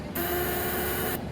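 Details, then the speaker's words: Hydraulic press after pump-side pilot check valve installation, oil flowing as the control is pressed: a steady hissing whine for about a second from the spring-loaded pilot valve; normal pilot valve noise. "ये आपको आवाज़ आ रही होगी, ये pilot वाल की आवाज़ है, जो स्प्रिंग लगा हुआ है उसकी वजह की आवाज़ आ रही है आपको आवाज़।"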